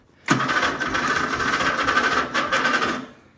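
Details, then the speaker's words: Murray, first start attempt in a long time, freshly charged battery, needing a rebuild: harsh gravelly grind for about three seconds while cranking, no firing; owner thinks the starter is worn out rather than the battery, not confirmed. "Wow, that sounds really bad. Wow, that starter's frigged up."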